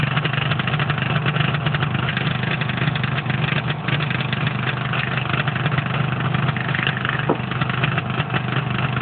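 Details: Replacement Copeland scroll compressor ZP182KCE-TFD-950, 380V 50Hz with electrical and frequency verified: ran two cycles fine, then loud rough rapid knocking over low hum before shutting off, same as first compressor; cause unknown.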